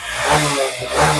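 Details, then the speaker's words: Honda SP125 with missing/jerking and starting trouble: after seven fault codes are cleared, the single runs smoothly with clean, even rev blips, no stumbles or missing and no stalling, though the check-engine light stays on. "Bike अभी missing नहीं कर रहा है, नहीं bike बंद हो रहा है, लेकिन यहाँ पे चेक इंजन लाइट अभी भी वर्क कर रहा है।"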